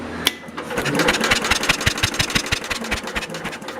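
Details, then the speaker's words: Universal 2500 W generator sitting 5 years, cranked after its dirty ignition points were cleaned with a points file; sharp, uneven snapping ticks about three a second, spark now present, before adding fuel. "Now we have spark. Just hold it close there. You can probably hear it better than see it."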